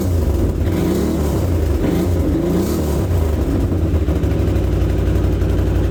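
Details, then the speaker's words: 2008 Can-Am Outlander 650 XT ATV with a no-start fault, caused by a bad wiring connection and fixed with a new connector. After the repair it starts and settles into a steady low-rumbling, even idle with no misses or knocks. "okay well there you go there's a quick easy fix costs nothing but a wire cutter and a little bit of time"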